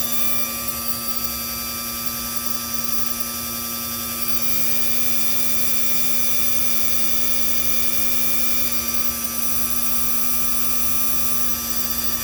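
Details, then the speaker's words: 1961-1965 Lincoln Continental convertible top hydraulic pump, yellow wire touched to extend the rams during bleeding: steady high electric whine, constant pitch, no grinding or surging; normal pump run. "I'm going to touch the yellow wire that goes directly to the pump. You'll see the rams coming out."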